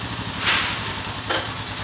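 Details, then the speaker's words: Honda TMX 155 motorcycle, stored over a year with a noisy engine: after repair and idle readjustment (idle was too high), a steady, even low idle beat with no knocking or rattling. "yon okay na ulit yung andar niya mga bro Ayan yung andar niya ngayon"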